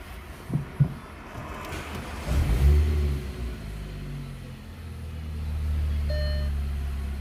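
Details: MG3 that would not crank, with a dead instrument cluster after water flooded the DC/DC converter under the passenger seat; a few cranking thumps, then a steady even low idle; normal start and idle.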